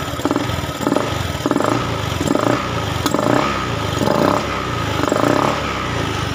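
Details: Honda Scoopy eSP fuel-injected scooter, about five years old and never serviced, which stalled suddenly while riding; running evenly and blipped repeatedly with crisp response and a clean return to steady idle; healthy, more responsive than before.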